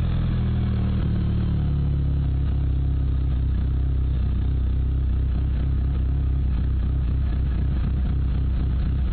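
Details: Mitsubishi Evo III: low, lumpy idle with uneven stumbling beat and some clatter; rough running, owner suspects bent valves, unconfirmed.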